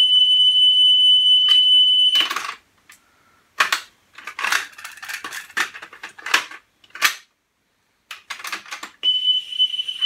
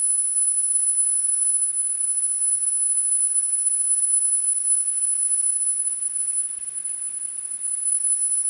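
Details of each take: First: Pioneer CT-W205R double cassette deck during service, playing a 3 kHz test tone recording, 10 kHz to follow: steady high tone broken by handling clatter as head azimuth is adjusted for highest pitch; tape head azimuth adjustment. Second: Pioneer CT-W205R double cassette deck after service, azimuth alignment: steady, clean, very high-pitched 10 kHz test tone holding even throughout; treble reproduced properly.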